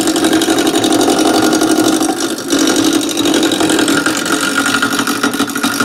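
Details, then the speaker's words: Wood lathe at slow starting speed, gouge knocking the corners off a square top blank: fast, even ticking over the lathe's low hum as the corners slap the gouge each turn; normal roughing. "tell that sound when we start getting round because you won't hear it ticking cause it'll be in your wood chips"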